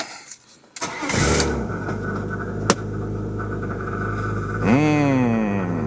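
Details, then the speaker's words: BMW E36 that would not stay running: after swapping in a used junkyard MAF, a short crank catches cleanly into a steadier idle with no misfire stumble; idle noticeably improved, not yet driven. "It changed. It changed."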